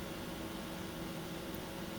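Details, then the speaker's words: Generic SC-600 PC water-cooling pump after two years of nearly non-stop use: a smooth, even low hum with a faint steady whir and no knocks, rattles or surging, still running like new with no issues. "It's still running good as new. No issues at all."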